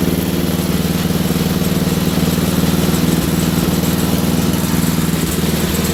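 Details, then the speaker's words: Wheel Horse GT2500 garden tractor, small single-cylinder engine just got running again; it pulses about four times a second, slightly uneven and hunting rather than holding steady. Rough running; owner suspects a stuck carburetor float, not confirmed. "I believe it's just a stuck float I'm not sure as you can hear it's running a little off so I might have to rip the carburetor off"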